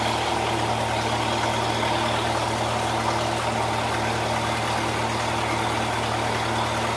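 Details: 1948 Lincoln SA-200 welder engine, long set aside unused and got running with very little work: a smooth, steady low hum with even firing and no knocks or squeals. Normal running.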